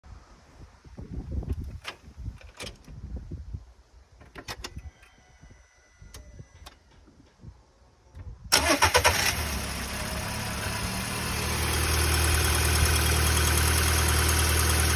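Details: Audi A3 1.6 FSI petrol, 220,000 km, 5W30 oil, cold start: brief metallic rattle at startup before settling to idle, absent when warm, shorter facing downhill; owner suspects tensioner, unconfirmed.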